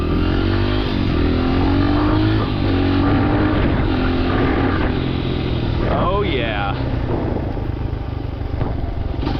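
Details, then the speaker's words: 2011 Honda CRF100 that would not idle, warm, after air screw adjustment: single cylinder ticks over evenly with steady unbroken beat, no dying or hunting; idle fixed. "Yep. I think we got it. It's not going to die on Nicole when she comes to a stop."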